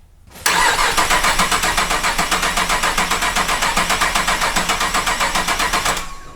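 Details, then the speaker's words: 2008 Cadillac CTS GM 3.6L direct-injection V6 after timing chain replacement with new NGK iridium plugs: the starter cranks steadily at about four pulses a second for five seconds without catching, and the cranking rhythm sounds off; abnormal cranking sound. "different I don't think this thing's ever gonna run it doesn't sound right"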